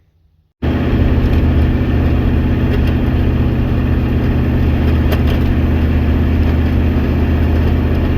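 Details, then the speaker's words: IDI diesel truck's ZF5 manual transmission under load on a long trip: loud, steady diesel drone with a constant low driveline growl that got worse partway through the drive; owner is pretty sure the input shaft bearing failed. "So what you just heard, I'm pretty sure, is the input shaft bearing went out on the ZF5. It started making quite a bit of noise about halfway through the trip."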